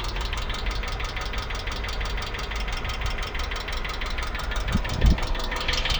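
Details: 2008 Hyundai Accent engine: steady fast ticking knock, about five a second, clearly over an even idle; a knock from inside the engine, cause not yet pinned down.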